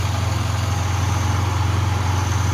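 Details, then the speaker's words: Cold Yamaha YBR 125 single idling smoothly after engine rebuild (new bearings, balancer bearing, clutch, cylinder kit); earlier rod-like knock traced to balancer part, now even low thrum with no rattle or knock: normal idle. "Ó, motorzinho tá frio. Funcionando aí, ó. Sem barulho."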